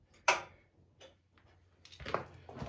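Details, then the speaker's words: 1974 International 354 gas tractor, no-crank no-start: a single click at the key with no cranking; starter cranks when jumped directly, so the starter solenoid isn't passing power from the switch. "Basically, the starter's not getting power from my starter switch. Yeah, I just got that click."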